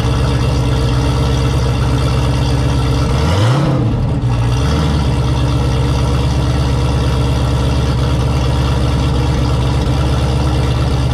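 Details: Turbo Camaro ("Cowmaro", 1200hp) V8 first fire in a while, fresh oil, warmed to operating temperature with coolant about 190°F; deep even idle with one quick throttle blip rising and settling cleanly. Normal idle and rev.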